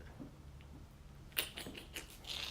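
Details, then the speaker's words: Freshly fired glazed pottery mugs just out of the kiln, still hot: sharp bright pings and clicks over quiet room hum as the glaze crazes, cracking slightly while cooling. "i need to at least look at the bottom and see you hear the pinging means they're hot"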